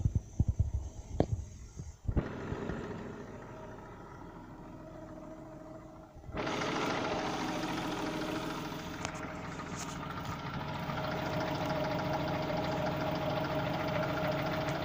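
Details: Cold engine: catches after a few seconds, then a dull quick knock of roughly three per second under cold idle; owner suspects piston (wrist) pin, unconfirmed.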